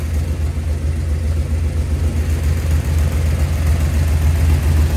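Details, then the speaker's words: V8 after switching from failed flat tappet to roller cam and lifters: deep even burble idling about 900 rpm, vacuum advance connected, 14° initial, 34° total timing, no blow-by, quiet lifters, no tick or knock; healthy idle. "Pretty impressed at how quiet these lifters are. Got no blow by. Idle about 900, and the vacuum advance is hooked up."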